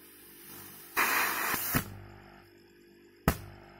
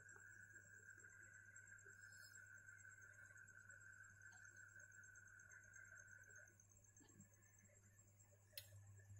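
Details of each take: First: Healthy refrigerator compressor plugged in for comparison: steady low hum then a loud hiss of strong discharge pressure, meaning good pumping circulation, unlike the locked unit that only hums. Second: Refrigerator not cooling, no airflow, compressor unable to turn: low electrical hum then sharp click as the still-working overload relay cuts out; owner suspects a clog in the condenser or elsewhere.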